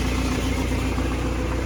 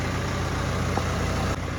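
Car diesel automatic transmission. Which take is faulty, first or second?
first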